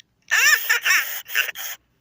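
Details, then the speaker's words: 1998/1999 Furby voice after speaker replacement: quick chirpy warbling bursts, clean and clear with no crackle or buzz; the new speaker works completely. "it works completely. It's not going to burn out again unless the Furby is faulty, but it works completely."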